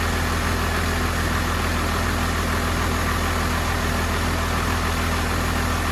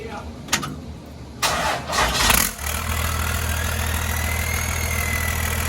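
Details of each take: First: 1993 Cummins D350 chassis with 12-valve diesel and automatic, 1940 Chevy truck body, just fired up: steady fast diesel clatter, no dip or hunt, well above normal idle; fixed by backing off the idle adjustment screw and adjusting the rod. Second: 1993 Cummins D350 chassis with 12-valve diesel and automatic, started in Park with driveshaft hanging to check alternator charging: brief crank catches at about two and a half seconds, then a steady, even low idle with no knocks; healthy start, nearly 14 volts charging.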